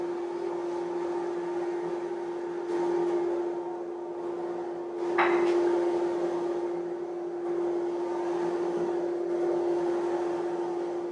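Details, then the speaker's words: Off-grid wood-fired boiler just lit with cold start button engaged, blower running hard: a steady, even mid-pitched drone with clunks of wood being loaded; normal cold-start blower operation. "Okay, so you can kind of hear it. That's because we first started up, there's a cold start button you can push, and it just gets the blower going really good."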